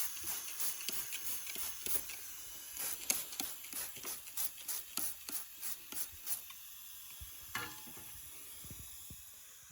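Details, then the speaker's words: Subaru STI boost leak test at about 7 psi applied: steady airy hiss with uneven soapy-water spray bursts, leak found at the bypass valve hose. "with only we'll say about seven pounds of pressure applied and here's some pretty good hissing around there so when you spray some of those soapy water in there you can actually see i've got a pretty good leak around the hose for the uh bypass valve there"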